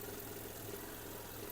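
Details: 2005 Audi A3 1.6 MPI (BSE) petrol engine, 209,000 km, from the Netherlands: steady, even idle hum with no knocks or misses; it runs quietly with no smoke, no misfire and no breather blow-by.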